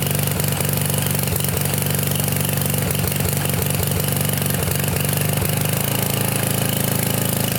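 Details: Trashed Sears Craftsman pressure washer, 6.5 hp Briggs OHV single-cylinder, 2500 psi 2.7 gpm, revived after no-run: after a full-choke start it settles into a steady, even beat, running smoothly with no misses.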